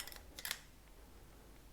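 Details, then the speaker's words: StealthChanger 3D printer toolhead with newly pressed-in recommended bushings, shaken by hand: short bursts of light clicking; bushings loose and rattle, possibly the bushings themselves. "or if anything this is very loose the rattles around hear it try another one also rattles around so these are definitely more"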